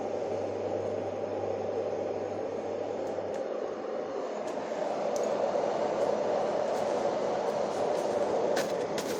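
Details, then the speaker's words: Dohm white noise sound conditioner, unused about five years and dusty from wall drilling, after strip-down and cleaning: even, steady airy fan rush with no knocks, rattles or wobble; normal running. "go there we go it's fine so what you're doing with a construction like this is you're raising the noise floor in the room"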